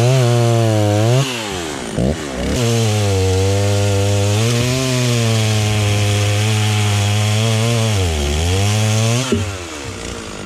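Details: Stihl 036 just rebuilt with a new piston and head torqued to spec, tested outside: crisp, even two-stroke buzz climbs and drops cleanly with each throttle blip, revs freely; running well.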